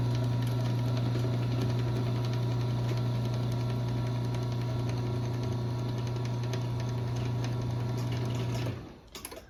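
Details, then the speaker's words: LiftMaster 8587 chain-drive garage door opener on a 7-foot sectional T-rail, running slower on the small sprocket: even low hum for about nine seconds with no knocks or rattles, stopping cleanly; a very quiet, normal chain run. "But yeah, it is very quiet. I really like it."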